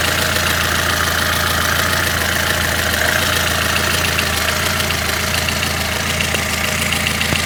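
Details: Lada Kalina engine recorded warm: light uneven tapping about twice a second over idle drone; owner reports rough running and tapping when cold; source unclear; engine tapping at idle.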